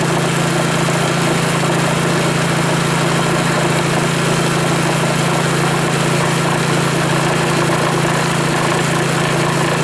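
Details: Rebuilt Powerfist small petrol engine idling with fuel shut off, running dry after full teardown and reassembly; steady even low hum, constant rhythm, no misses, runs like new.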